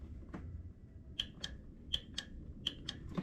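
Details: Craftsman LT2000 riding mower, key on after carburetor reinstall: quiet sharp ticks in pairs about every half second; fuel pump priming normally, though water later found in the fuel.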